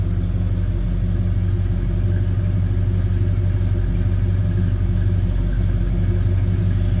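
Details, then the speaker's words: 1964 Ford Fairlane 500 2-door hardtop V8: deep, even throaty rumble at steady idle, smooth regular firing with no knocks or misses; normal idle. "Nice little throaty rumble coming out of that thing."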